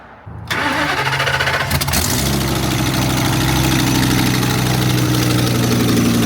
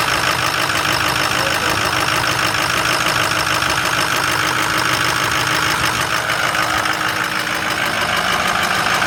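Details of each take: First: Ford work truck with plow, 73,000 miles: catches into a loud, raspy ticking idle that quiets down; exhaust leak probably both sides, needs exhaust manifold bolts and gaskets. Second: Diesel truck cold start after sitting three days: settles into a steady, even idle clatter with no misses or stumbles and no smoke; normal healthy cold idle.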